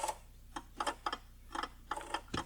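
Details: Early Jaguar XJ-S V12 after long storage, Lucas electrics; irregular bursts of rapid sharp clicks in a quiet cabin as climate-control servo relays chatter from poor contact at twisted fuse number 11.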